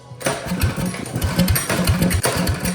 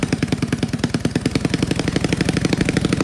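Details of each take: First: Old Russell 196cc four-stroke on a Baja mini bike, sat many years, after a carb clean, with a broken idle screw: rapid uneven chuffing from repeated pulls, coughing but never catching. It cranks without starting. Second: Old Russell 196cc four-stroke mini bike engine, sat for years; carb rebuilt with the jet and emulsion tube drilled out, throttle arm tightened for the broken idle screw: slow, regular thumping about three beats a second, idling evenly. Normal running.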